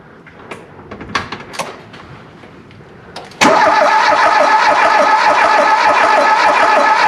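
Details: Volvo 340 abandoned 25 years, cranked while a multimeter tests the crankshaft position sensor circuit (about 60 millivolts, signal fluctuating): quiet fiddling, then a steady three to four turns a second from the starter, never catching or firing.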